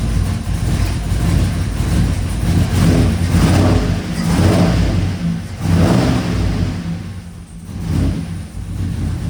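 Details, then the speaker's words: Truck with a replacement engine and stage 3 cam; quick throttle blips give uneven, lumpy, stumbling swells, running super rich; sounds like a misfire when revved. "Sound like it's missing when I rev it. Definitely rich."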